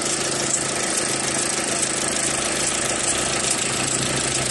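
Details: 2001 Audi A4 Quattro after replacing the faulty part that dragged voltage from 13 V to 8 V and left fuses 28/29 dead (no spark, no start); now a steady, even idle with no misfire, running healthy at 14 V.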